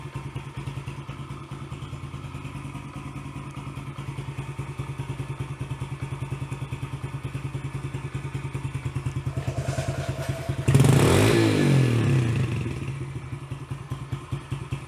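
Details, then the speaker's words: Yamaha TT-R110 being revived, carburetor remounted, first start on choke. Single-cylinder thumping about three beats a second, slightly lumpy with a throttle blip; sounds a little rich at the bottom end, mixture screw adjustment next. "a little rich on that bottom i think i need to pull this off"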